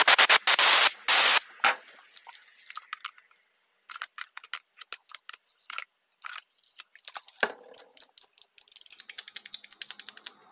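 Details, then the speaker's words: Jeep 42RLE transmission solenoid pack (3.7L V6, limp mode, P0750) bench-tested on 9 volts after flushing: sharp, crisp clicks about twice a second following spray hiss as the solenoid now works freely; it later sticks again from magnetized metallic debris. "can hear it's free now"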